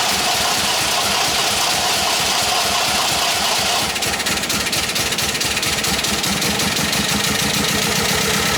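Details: MGB Roadster under restoration, just started with easy-start help: lumpy, uneven idle with an irregular stumbling beat and harsh rasp, not running on all four cylinders; new spark plugs to be tried.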